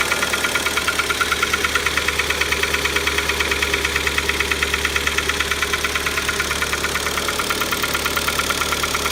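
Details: Kia Optima engine knocking at start-up: sharp, regular metallic knock about three times a second over the idle right after starting; internal engine knock, ultimately resolved by replacing the engine under warranty.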